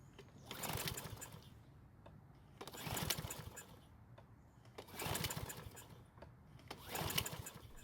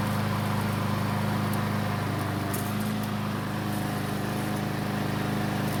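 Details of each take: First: Troy-Bilt mower with auto-choke carburetor, won't start after winter storage despite fresh fuel: four pull-cord cranks, each a quick whir that never catches; no fuel getting through, traced to a clogged main jet. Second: Troy-Bilt mower that wouldn't start after winter storage, test start after repair: steady even engine note, constant low hum, no surging or misses; runs normally, began burning oil after about 20 seconds, likely from being tilted.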